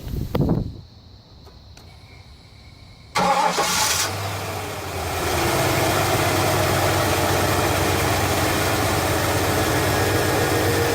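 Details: 1983 Buick LeSabre wagon LT1 swap, first start after replacing a faulty part: quiet ticking, sharp crank and catch, revs flare then settle to an even, steady idle with no misfire; healthy start.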